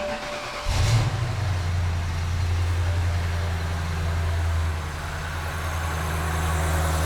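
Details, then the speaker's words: 2009 BMW E70 X5, N62B48 4.8L V8, started dead cold with the accessory belt removed: smooth even idle, steady low hum, no squeak. Squeak therefore comes from accessories, not the engine; belt dated 2014. "No squeaky sounds. Just give it a minute."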